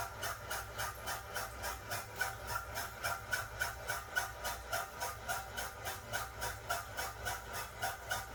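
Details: Toilet making a strange noise: a soft hissing pulse repeating about three and a half times a second with a faint squeaky tone; rhythmic pulsing noise, cause unclear.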